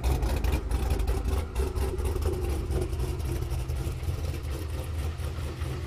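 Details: Camaro idling: deep rumble with a faint, uneven tapping about four times a second; owner suspects piston slap, internal knock not confirmed.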